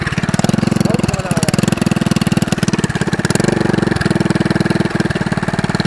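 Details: Go-kart small single at idle before homemade brake-cleaner-can muffler: harsh rapid very loud popping bark with no damping from open pipe; loud unmuffled exhaust.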